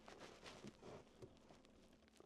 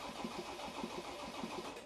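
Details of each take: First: Land Rover Defender on its first start attempt after a DIY swap to a new engine, the original having snapped its crank and holed the block. Quiet until the terminal connection is forced by hand, then it turns over and catches. Loose battery terminal. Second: Land Rover Defender with a newly swapped diesel engine, first start after the DIY swap, no coolant yet and fuel rail relearn pending: it catches and settles into an even idle with steady combustion beats; running smoothly.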